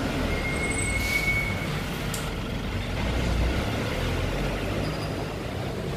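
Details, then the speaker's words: Six-year-old Kawasaki Ninja 250cc: soft, steady low hum at idle with no knocks, ticks or misses; engine and exhaust still very smooth. "Nah, walaupun motor ini sudah berjalan 6 tahun, tapi suara mesinnya, suara knalpotnya masih benar-benar halus."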